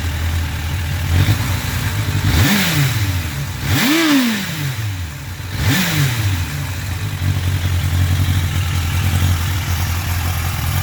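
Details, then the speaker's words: 1993 Suzuki Katana 750 (GSX750FP), started after winter storage since October with stabilized fuel and a trickle-charged battery, already warmed up. Even idle, then three quick clean blips rising and falling smoothly; normal warm idle and revving. "so now I'm going to start it up so you can see it's kind of warm it's warmed up already before I start taking this video"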